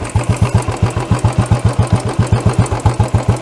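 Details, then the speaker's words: Royal Enfield BS6 single-cylinder carburettor with the mixture screw turned fully in: slow, loping idle of deep even thumps, about 220 a minute. It is running lean, with only a small amount of fuel passing. "कि यह जो है वह and यहां पर and हो चुका है अभी भी स्मॉल अमाउंट आफ फ्यूल और का मिक्सचर है जा रहा है मगर यह इसको हम बोलते हैं लिए मोड़"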